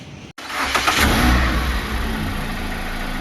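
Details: Chevrolet Optra stored unused for two years, which earlier mechanics also failed to start: the starter cranks in a steady chugging rhythm but the engine never catches or fires.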